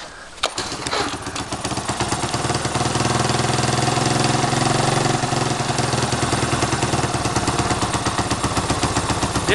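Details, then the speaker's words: 1985 Yamaha DR 225 with a loosely fitted intake, after weak-spark troubleshooting and after the carb's mixture screw had fallen out: it catches and runs unevenly with a faint sucking hiss as the carb draws in extra air. "that's the uh yamaha it actually runs pretty decent i can hear the carbs sucking in some air because this isn't on there all the way right now"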